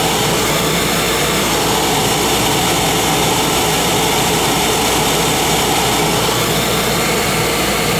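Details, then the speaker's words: Oil burner motor and pump run with the controller jumped out to flow oil during service; 3-year-old 1 gallon 70 nozzle burning clean. Loud, constant, even whirring rush, no grinding, squeal or pulsing: normal burner motor running. "That's the motor right there. That's how I like to do it, right there. Plug it into my motor and I get a good run time on it."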